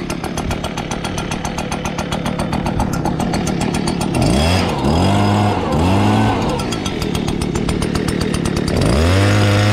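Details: Stihl BR200 blower with a two-stroke engine and semi-automatic choke, cold start in 2 pulls (usually 4–5): a crisp idle, then quick throttle blips rise and fall cleanly. Normal running.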